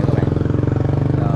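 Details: Suzuki Hayate scooter, long unused and non-starting, after charging the battery: quick, regular putter about twenty beats a second, no stumbles or odd noises; healthy settled idle.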